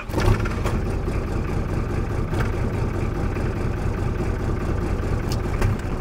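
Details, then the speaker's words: Nissan Patrol Y60 diesel at idle after power steering pump replacement (previously an rpm-linked noise and heavy steering); steady low rumble, no pump whine, steering now light: normal power steering pump. "bruit rien que ça déjà c'est une bonne nouvelle oh le volant c'est un plaisir par rapport à avant"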